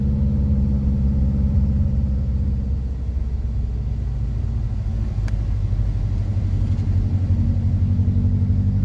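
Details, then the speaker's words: Subaru WRX after rebuild: lumpy, uneven idle with a low rumble that sags and wavers as if about to stall; running rough and needing a tune, with smoke the owner thinks is residue burning off. "she sounds hit though trying to die it is just it really needs to be tuned guys to be honest"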